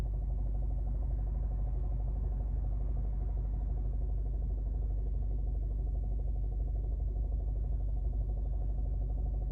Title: Alfa Romeo guiletta 2011 1.4tb Lusso Strange Engine Sound in cabin at idle